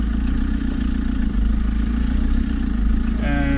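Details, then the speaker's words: VW T3 camper TDI diesel: steady even drone pulling cleanly under load, no knock or misfire; sounds happier. "she sounds happier already"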